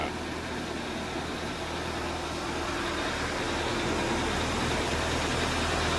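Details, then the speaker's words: Audi Q5 2.0T TFSI replacement engine (old engine destroyed itself), cold start: fast, even clatter of about four ticks a second over idle, audible outside the garage, called abnormal; lifters likely still pumping up with oil. "But anyway, you heard how the noise of the engine was clattering pretty bad? It was like you could hear it even whenever I stepped outside the garage. Well, that's absolutely abnormal."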